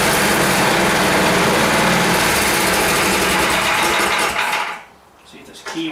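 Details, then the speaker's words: 10 HP Tecumseh Yard Machines snowblower, choke off, carburetor crud apparently cleared without teardown: fast steady buzz with even firing, no sputter, then drops away; runs pretty good. "now so i guess that's good so it seems to run pretty good um just you know a bit of crud in it and just get cleaned out"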